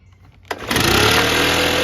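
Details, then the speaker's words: Stihl BR600 backpack blower before annual service goes from quiet idle to full rev but the climb drags before settling high; tremendous acceleration lag from valves out of adjustment, not the carburetor. "Tremendous lag in acceleration. I hope I had that lined up well enough, but you could hear the lag."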